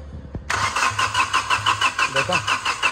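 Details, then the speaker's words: Flood-hydrolocked diesel car, injector lines being bled one by one at about 2,500 rpm: steady starter cranking about three turns a second with no firing; no start because air still trapped in injector lines. "और उसके बाद इनकी जो air है वो निकल जाएगी"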